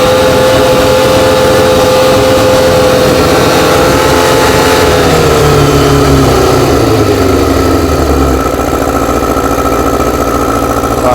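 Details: Four-cylinder carbureted bike, no air restriction fitted, choke off: idles smoothly, revs settle evenly to steady hum; carbs not yet balanced; normal idle.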